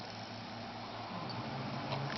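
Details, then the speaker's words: Xbox 360 disc drive after fixing laser grinding, with a paper spacer added under the re-glued magnet: soft steady whir while spinning and reading a game disc, no scraping or grinding. "see there's no scratching noises or anything the screen says that it's reading and there you go it's going to play the"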